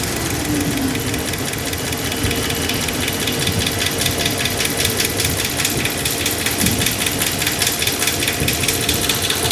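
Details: 2009 Dodge Ram 1500 4x4 with 5.7 Hemi V8, ticking since its rebuild: fast, even ticking over the idle, loudest at idle, with the microphone on the brake line. Suspected left-side valvetrain, source not yet pinned down.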